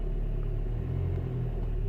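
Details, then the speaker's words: Citroën Nemo with SensoDrive semi-automatic gearbox, brake pressed, reverse and then first gear engaged: steady, even low idle rumble with no knocks, clunks or hunting; sits smoothly in gear, all normal. "Let me see if I have drive. Yes, I do. I do have. Look. So that's automatic. So first gear. Oh man, and it is working."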